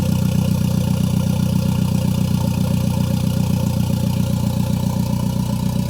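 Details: Toyota Caldina Gen5 after MR2 engine swap, first start with no exhaust fitted: loud, raw open-header idle with steady even pulse about four beats a second, no misses or knocks; engine runs healthy.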